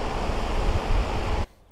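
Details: DeWalt 24-inch heavy-duty drum shop fan (6500 CFM) on full high: loud, even rushing-air roar with no knock or wobble, cutting off abruptly; running clean.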